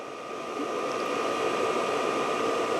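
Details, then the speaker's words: New VEVOR diesel heater on first start in a cold workshop, still reading 13°C. Only a rising airy fan rush with a steady whine, no burning roar; heater not lighting, fuel pump stopped, then it shows SLP. Cause not yet known. "Still on 13 degrees. Can't actually hear it firing yet. Fan stopped."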